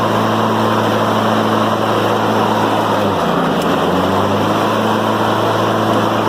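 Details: Honda HRM215 (Harmony) mower after a tune-up (oil change, spark plug, air filter, drive cable adjusted). It drones steadily and evenly, dips briefly and recovers as the blade engages on the first notch. Smooth running, no misses.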